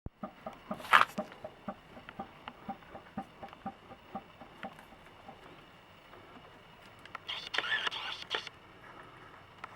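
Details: Toyota Corona 4S-FE engine; sharp regular knocks, roughly three a second, tapping steadily over a quiet engine; crankshaft knock, likely worn crankshaft bearings.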